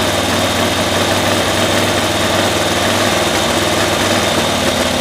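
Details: 1972 Cushman Truckster, single-cylinder engine with the air filter off and spark testers in line on a cool day (about 8°C); busy, slightly uneven running that does not pull up cleanly, still misfiring around 3000 rpm after new coils. Cause unknown.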